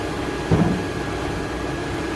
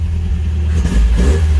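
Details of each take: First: Engine cranks steadily at about three beats a second for seven seconds but never catches after the distributor cap was refitted. No spark found, cause unknown: crank, no start. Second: Rambler engine after a points swap, revved from inside the car with the tach not working. It picks up quickly from a blip and holds a deep, even rumble without stumbling; now rev-happy: normal free revving.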